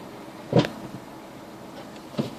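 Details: Renault Megane Mk2: two sharp single clunks about 1.5 s apart when the brake is applied in reverse, over a quiet background; the source is not pinned down.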